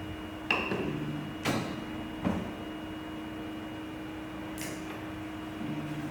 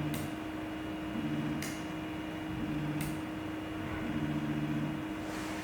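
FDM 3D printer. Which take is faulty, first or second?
second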